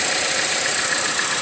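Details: 2014 Chevrolet Cruze LTZ at idle, with misfires and a whistle from the top of the engine: a steady, high hiss of air being sucked in. It is a vacuum leak at the valve cover PCV valve, and the fix is to replace the valve cover.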